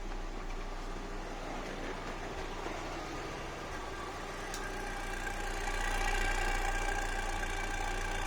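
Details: Fiat Coupe 2.0 16v at steady idle with a repeating stumble about three to four times a second in the low thrum; misfire, one cylinder seeming to miss.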